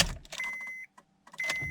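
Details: 2003–2007 Honda Accord (keyless remote key) turning ignition: two short bursts of high electrical whine and clicking, no crank; metal key ruled out (new key same result); steering/ignition switch suspected, part 35130-SAA-J51.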